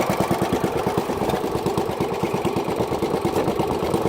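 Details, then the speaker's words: Pocket bike after swap to 6.5hp single-cylinder motor, test run: quick even put-put firing about three beats a second at steady pace; runs smooth, normal running. "It's alive. It works. It pulls wheelies. Oh my. I think I've created a monster here."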